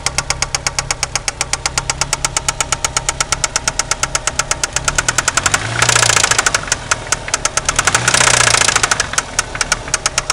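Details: 1993 Eagle Talon turbo, stock 7-bolt engine, idling: a sharp, steady metallic knock from a spun connecting rod bearing, confirmed by piston play and rod-to-crank play with the oil pan removed.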